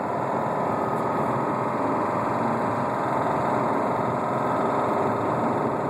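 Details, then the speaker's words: 2007 Subaru Outback with a spun rod bearing, driven about 14k more miles, on its last freeway run at about 60 mph with the check engine light on: a fast steady rod knock under road noise. It had already stalled once, and the engine later seized. "check engine light on you can obviously hear the knock we're almost there we have two more exits to go"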